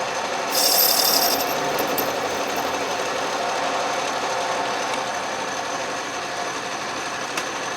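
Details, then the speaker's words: Restored 12-inch Atlas Craftsman metal lathe facing scrap brass with power cross feed, carriage locked, lathe not yet leveled or bolted down: steady even whirr with light regular cutting hiss, no knocks or chatter; normal cutting. "not too bad as you can see the lathe runs great"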